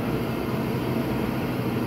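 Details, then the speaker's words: Kaeser 5 HP three-phase rotary screw compressor on a single-phase-input VFD, loaded at 60 Hz building air into a 60-gallon tank: steady, even whir and rush of air with no knocks or rattles; healthy. "now that went up to 60 Hertz there now it's compressing building air this is just right at 60 Hertz like it would off of our regular three-phase line power"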